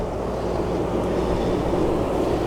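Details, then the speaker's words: 2006 Supercharged Range Rover after replacing the belts, idlers, tensioners and supercharger belt: a low, steady, even idle rumble with no squeal or chirp, quiet where it was loud before. Normal idle. "is very nice and quiet runs very smoothly really really nice"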